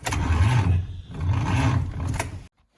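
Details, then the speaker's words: Rebuilt 1953 Dodge 237 ci flathead (6-volt system), second start attempt: slow labored cranking in two short bursts, never catches; weak starter from poor ground, later fixed with a good ground; old battery suspect. "Anyways, attempt number 2 to get enough amperage to the starter to crank this baby over. Let's see if that's gonna work."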